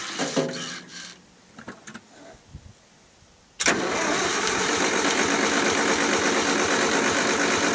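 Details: 1974 International IH 354 tractor in winter, around 0°C after -30° nights: clicks, then steady cranking about three compressions a second without catching; no spark, later traced to a frayed, likely shorting points-to-coil wire while checking cap, rotor, points, coil and condenser.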